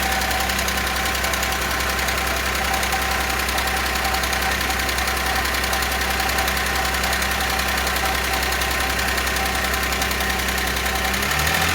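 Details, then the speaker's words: Audi A6 after repair, idling while oil pressure builds: fast, light ticking of about three or four taps a second from hydraulic lifters still bleeding up, plus a new whistle; the knock gradually fades, and lifters possibly damaged by oil starvation. "Пока стук есть, какой-то свист появился. Сейчас должны компенсаторы очень долго могут прокачиваться, блядь."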